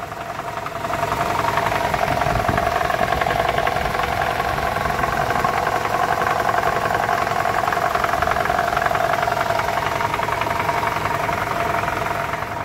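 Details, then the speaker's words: 2012 Toyota Camry 2.5 2AR-FE idling in drive, brake held, AC on: steady metallic rattle at low rpm under load, varying with engine temperature, loudest at the balance shaft by stethoscope; worn balance shaft. "I took my stethoscope and it's very pronounced in this area so we're dealing with the balance"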